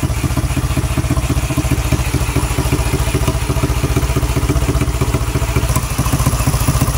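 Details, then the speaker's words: Bare Yamaha Mio scooter engine run without a wire harness on an auxiliary fuel tank, after its broken cam sprocket was replaced: even, steady idle putter with no knocks or misfires and no smoke; running normally. "Andar na po siya. Yung problema lang nito yung cam sprocket niya ay putol or sira na yung cam sprocket kaya ayaw umandar."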